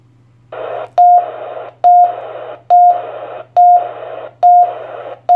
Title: Tyt TH-7800 beeping issue